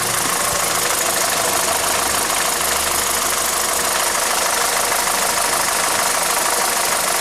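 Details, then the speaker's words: 2012 VW SpaceFox 1.6 8v flex-fuel at warm idle: sharp ticking knock about three per second that bothers the owner; suspected detonation or piston skirt slap, unconfirmed; ethanol-only test suggested, remap if cured, otherwise engine teardown. "esse é Bico essa batidinha aí né o bico ó o barulho barulho que incomoda o o o cliente"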